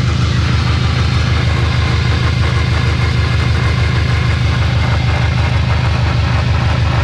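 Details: Subaru STi 6-speed, jacked up with wheels spinning, loud deep droning rumble pulsing about twice a second; suspected gearbox or transfer case bearing failure, not confirmed.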